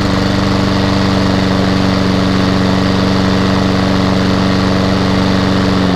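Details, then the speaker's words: Hayter 48 lawnmower with Honda engine, bought in a job lot, runs with petrol in and no fuel leaks: steady low drone, even hum, no misses; engine runs smoothly but the drive is not working (owner suspects belt off or gearbox). "well that surprises me I was not expecting that however the drive is not working"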